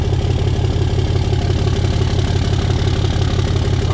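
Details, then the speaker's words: Deleted Ram diesel truck, warmed up: deep, steady idle at about three beats a second with an even rhythm and no misses; runs smoothly. "these Ram sounds great it's just beautiful here it is guys warmed up"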